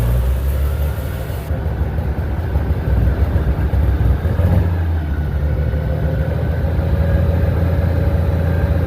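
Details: International 756 tractor started with the choke out after sitting two years in a pole barn: an old six-cylinder catches and idles unevenly, a deep rumble wavering and stumbling as it clears itself; rough running after long storage.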